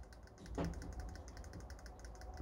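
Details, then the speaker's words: Arrma Outcast 6S RC car, turned by hand after motor servicing and reassembly: light, quick, even clicking between spur gear and motor pinion; mesh correctly set, nothing binding. "doit faire comme ça le cliquetis entre la couronne et le pignon moteur donc là normalement c'est bien réglée"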